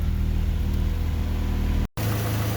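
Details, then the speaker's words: Honda Civic/CRX with swapped B18B1, first run after repinning jumper harness, coolant still bleeding, fan not yet on: even steady smooth low idle, no knocks or misses, no check engine light; runs smooth. "wait for all the bubbles to boil out of there but engine runs smooth and it sounds good"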